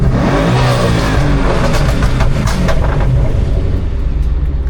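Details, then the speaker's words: 2011 Ford Mustang GT twin turbo with a newly installed N2MB WOT box two-step; deep exhaust rumble on a throttle blip with a brief stumble before revs build. "I mean, it did hesitate for a second."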